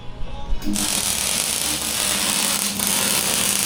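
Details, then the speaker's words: MIG welder turned up high, welding a gusset on a Nissan Patrol mid-wheel-base exo cage: steady, even frying arc crackle, hot and well penetrating; normal MIG welding arc. "So in a previous life, Stu did a fair bit of welding for an engineering firm, and he's the bloody master, so he's got that welder cranked right up on this thing."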